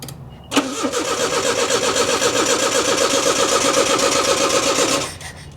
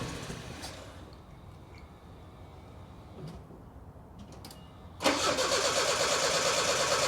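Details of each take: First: 1985 Nissan 4x4 pickup that sat for years, first start on brake cleaner sprayed in: catches on first crank, runs rough and uneven about four seconds, then dies. Owner suspects fuel pump not getting power, a dud pump or a fuse. Runs only on starting fluid. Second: 1985 Nissan 4X4 pickup that sat for years, started using a temporary fuel pump wired from a separate tank; quiet clicks, then it catches at once and settles into a steady idle that rises slightly; healthy start and run.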